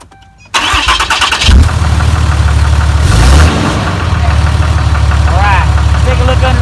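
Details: Cummins 6.7L diesel after an air and fuel filter change, with the fuel pump cycled to prime the filter: a short crank, then it catches with a rev flare and settles into an even, steady idle with no stumbling. Normal idle.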